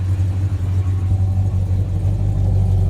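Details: Slightly modified, near-stock engine, idle set at 650 rpm: low even idle rumble with steady slow pulse, no misses or knocks; runs smoothly, healthy idle.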